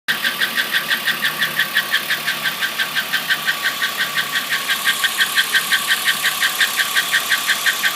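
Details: 2008 Chevrolet Impala petrol engine idling with a steady, fairly sharp pulsing tick about three beats a second; owner can't pinpoint it but hears it coming from the intake.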